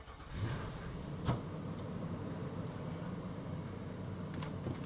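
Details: Vehicle at a frigid public auto auction, odometer about 41,000: catches almost immediately on cold start and settles to a steady low even idle, no misfire; a rattle possibly an exhaust shield noted after.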